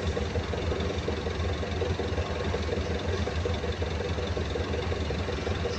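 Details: Perkins 2206-series diesel knocking at idle: rough idle with a dull knock roughly once a second under the running noise; intake side and compression being checked, cause not yet found.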